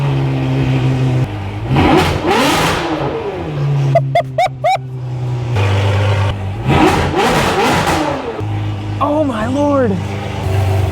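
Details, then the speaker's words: Long-sitting Ferrari 599 V12 with gated manual and custom exhaust, first run with no alternator fitted, oil pressure up and oil clean: two hard blips climb fast and drop back to a throaty, loud idle, crisp with no misfire; healthy revving, no leaks seen. "This is sick. I'm sure this is gonna ruin me. This car is supposed to sound insane."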